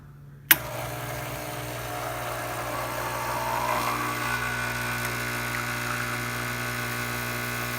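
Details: Older Quick Mill 820 espresso machine after a full tune-up including a replaced 3-way steam valve, pulling a shot: steady low pump drone with an even buzz, no surging or rattling; normal pump running.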